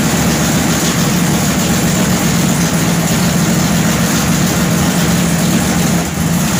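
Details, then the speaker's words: Newly installed 511 low-deck wedge V8 (440-based block) with MSD ignition, through B1-sourced headers: deep, loud idle with a constant choppy big-cam chug, running strong and even. "All right, contact number 2. I want to hear that chug."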